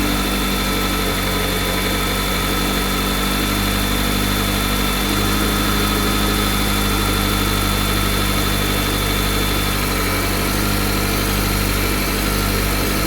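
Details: Cold engine idling steadily with a faint constant high whine over low rumble; abnormal noise at cold idle, cause not identified.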